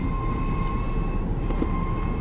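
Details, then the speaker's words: 2016 Chevy Traverse driving down the road: thin steady squealing tone over heavy road rumble, customer complaint of tires squalling, confirmed. "Customer states, "My 2016 Chevy Traverse sounds like the tires are squalling going down the road.""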